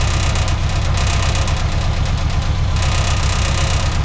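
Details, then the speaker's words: 1966 Austin Healey Sprite after rebuild, with a new electronic distributor and timing advanced. It idles evenly at about four beats a second with no knock or misfire, running again: normal idle. "at that yeah oh yeah that sounds great hell yeah it's running again"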